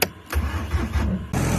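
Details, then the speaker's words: Skid steer diesel that hydrolocked after being flipped, oil removed from the cylinders via the injector holes, on a 50°F day: short crank, then it catches at once and settles into a steady even run with no hydrolock drag; normal start. "oh yeah guys here we go we got a runner guys let's go"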